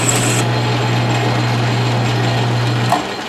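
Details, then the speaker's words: Lathe at about 400 RPM, middle pulley step, turning 1018 steel with a 0.150 in diameter cut (0.075 in depth) at 0.005 in/rev feed; low strained drone under a rough cutting hiss as it bogs down but keeps cutting. "all right you can hear it bogging bogging down but it's doing"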